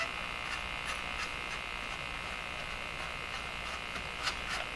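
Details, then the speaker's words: Westinghouse 535 tube radio on shortwave after its last old capacitors were replaced. A steady high-pitched buzz with a faint whistle over soft hiss; the set is breaking into oscillation from an untraced mistake in the recap. "breaking into oscillation. So I've made some kind of mistake here."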